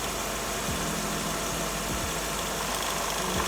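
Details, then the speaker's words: Mercedes W210 with M111 petrol engine: busy clattery rattle at idle, also when accelerating, from a broken belt tensioner damper, a common fault; fixed by replacing the damper. "this rattling noise actually is a common problem for W210 m111 engine because this rattling nose is come from the tensional damper"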